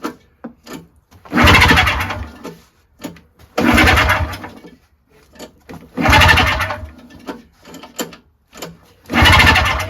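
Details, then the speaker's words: Yard Machines 21-inch single-stage snowblower, 5 hp Tecumseh, compression test over five pulls: soft fast spin with no compression resistance, reading about 40 PSI, so it won't start. "And it's showing, it's 1 notch below 50, so it's like 40. 40 PSI. And that's why it won't turn over."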